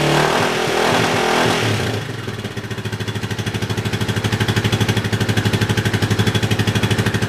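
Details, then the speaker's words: Yamaha 660 single-cylinder after carb re-jetting for a lean condition, tank loosely fitted; rev dies away into an even steady idle thump about three per second, very little popping, healthy. "Okay, well that should be about it. Very little popping."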